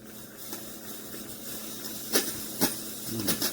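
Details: Chefman single-serve K-Cup coffee maker with rear water reservoir, pod loaded: soft steady hiss with sharp spitting steam bursts every second or so while brewing; abnormal, cause unclear, then it shuts off early with water left in the reservoir.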